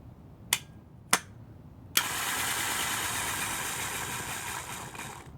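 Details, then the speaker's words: Starter removed from a 2006 Honda Accord LX, bench-tested: a few clicks, then a high whir that fades and stops after about three seconds; the starter runs briefly then dies, so it is faulty. "and and that's it it just dies so I'm going to connect it back up again and then it dies I let go so it's the starter starter will will run for a little bit and then it'll just die"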